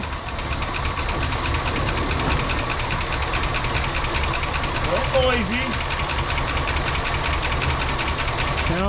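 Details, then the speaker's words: 1967 Cadillac DeVille convertible V8 first started on ether after years sitting in a backyard: uneven, lumpy idle with misfire, cylinder seven not firing judging by temperature, and loose ticking from noisy lifters expected to pump up. "it's like pretty good though some misfiring lifters are a little noisy but we give them some time to pump up"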